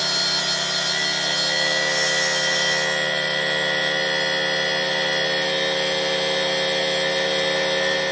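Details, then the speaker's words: Rebuilt two-stroke cyclo (moped) engine with new contact breaker points and the old ignition coil refitted: high buzzy note holds perfectly steady with no misfire or drop-outs; runs normally. "Eh bien voilà les amis, il fonctionne."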